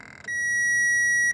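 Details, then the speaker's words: 2004 Toyota Corolla won't start; tester on the starter connector gives one steady high beep for about a second while cranking, showing power reaches both terminals, so the starter itself has failed. "okay thank you yeah the problem is so it's right here the starter as you can see I mean I got power over here on this this one and this one also has power over here"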